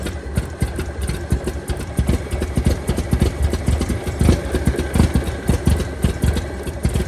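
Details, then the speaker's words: 1923 Franklin Model 10, converted to a truck in WWII, first start after sitting about 76 years; lumpy idle with uneven sharp pops breaking the beat, some smoke from engine stop leak; owner suspects spark escaping and snapping: misfire. "I think it's just running crappy it's running crappy it's running cracking that's a problem"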